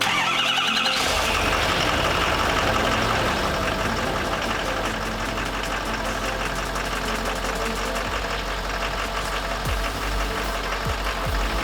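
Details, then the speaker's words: 2013 Ford F350 Copart rebuild, first start after the cab swap: brief crank, catches straight away on the first try and settles into a smooth, even idle with no stumble or knock; normal start and idle. "can heard guys and start right up no problem that means I connected everything"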